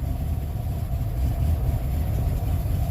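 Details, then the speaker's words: Vehicle just started after sitting, still cold: low, lumpy uneven idle that smooths once warmed with throttle held; owner suspects intake needing removal. "This one don't run the greatest, but it should once it gets warmed up."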